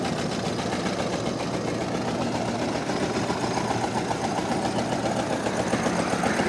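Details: Barn-find 1929 Ford Model AA four-cylinder, sat 30+ years, first start after carb float fix, no coolant: uneven, lumpy idle with irregular chuff and missing beat; owner suspects one cylinder not firing.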